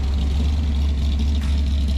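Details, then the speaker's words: 1966 Mustang 289 V8 with 2.25" Purple Hornies exhaust, after timing cover gasket replacement, warming up at 28 degrees outside: deep steady rumble with even lope, no knocks or ticks; no leaks, normal idle. "as you can see it's got no leaks it's running pretty good i'm letting you come up to temperature just to make sure there's no leaks"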